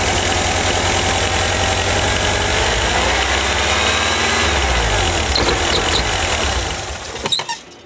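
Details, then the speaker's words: 1985 VW Vanagon, vacuum advance connected, ignition timing slightly advanced from late: steady idle, then revs sag and tremble as throttle is opened slowly and engine dies abruptly. "boom it dies"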